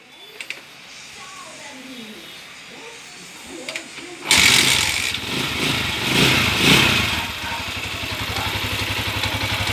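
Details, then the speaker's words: TMX155 single-cylinder motorcycle after repair (new connecting rod, two bearings, timing gear, follower, pushrod): quiet start, steady even idle with no knocking. Normal idle; earlier bottom-end noise gone. "Pinalayas na namin yung sanib pinalitan natin yan ng connecting rod kanina dalawang bearing timing gear follower push Rod"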